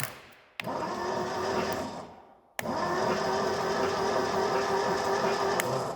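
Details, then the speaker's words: 1972 Triumph Dolomite 1850 barn find, off the road since 1990 (34 years), cranked via jumper lead direct to starter motor: starter whirs with uneven compression chuffs, no firing; engine turns so not seized, ignition dead. "to be fair I'm quite happy at the moment because lease is turning over well you never know if the engine is seized or not you know I mean least least you can hear is w w w w it's turning over so that's good news"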